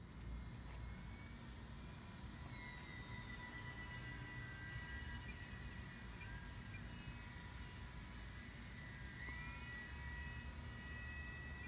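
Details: Brushless motor on electronic speed control powered by LiPo battery in an RC plane, run after safe-start arming: thin steady high whine with light sweeping tones as it spools; normal running.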